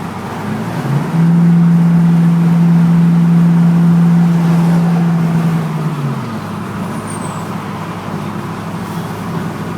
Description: The rattling sound I am experiencing going uphill on 208 in my 04 F150 but only under throttle. What can it be?